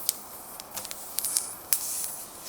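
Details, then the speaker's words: Mud tyre: a soft, steady high hiss with wet spitting bursts as air escapes around the existing tyre plug, the main leak. The owner may add a second plug beside it. "I can hear the lake it's coming from where my plug is I might try putting a second plug in next to it see what happens"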